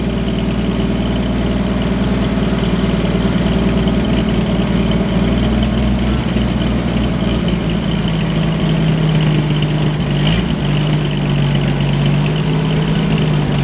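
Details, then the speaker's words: 1963 Chevy Biscayne with newly installed replacement engine, first start; deep steady idle with even beat and faint light rattle on top, sounds healthy. "I just love that sound. You gotta get a slight rattle, yeah."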